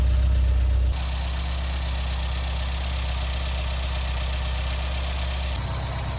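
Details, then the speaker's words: Mk1 Vauxhall Astra idling warm, after at least 10 minutes with the cooling fan on; it had earlier run badly, lost power and cut out. Smooth, even low idle pulsing about four times a second, strong with no stumbling; normal idle. "well now the car has idled for at least 10 minutes and it still sounds really strong"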